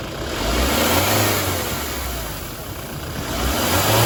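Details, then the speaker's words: Kia Sorento turbo engine revved while parked: light hiss and slight whistle rising with revs from a hole in the cracked left intercooler outlet hose; whistle worse at high road speeds. "Вы слышали, да, шипение такое, легкое посвистывание. Вот оно, в принципе, на больших скоростях приносит такой, ну, явный дискомфорт."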